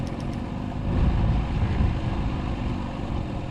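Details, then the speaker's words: Outboard on a restored Bass Tracker boat, idled down on the water, still needs choke to start: low, uneven, lumpy idle with surging level, nearly dying; owner suspects it lost its fuel prime, possibly an air lock. "Um, idled down. It wanted to die. It still wants to start with the choke, but it sounds like it lost its prime to me."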